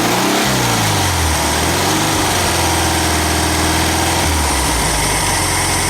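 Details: Super Beetle air-cooled flat-four after a new alternator, mini starter and 034 distributor: a steady, even idle with a smooth, unbroken beat and no knocks or misses.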